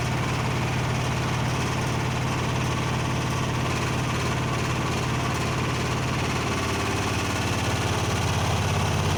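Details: Blomberg washer during the spin cycle: a heavy, steady, loud rumble with a fast, uneven throb runs through the whole spin; cause unknown, warranty repair requested.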